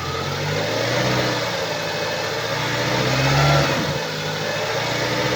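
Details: 2012 BMW 116i E81, N43B20A 2.0L petrol, 122 hp, 119,875 km: engine running with a dull, uneven knock under the hum, swelling as revs rise and ease; defective connecting rod bearing on the crankshaft.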